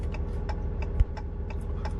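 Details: RAM truck idling, turn signal on the working side: even flasher clicks at a normal pace, roughly two per second, over a quiet engine. Normal turn signal flasher rate, unlike the fast-blinking side with the bulb out.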